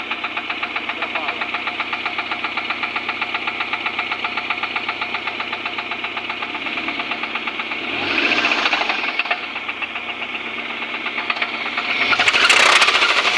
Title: Suzuki grand vitara. жосткий стук мотора